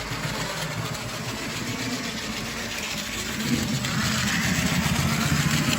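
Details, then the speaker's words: Old Mantua steam model locomotive after cleaning, wheels sanded with emery cloth; all-metal drive runs loud with a buzzy rattly whirr, steady then slightly rising; motor shaft may need a drop of oil. "It's all metal, so it's making a lot of noise. Sounds like the motor could actually use a drop of oil in the shaft."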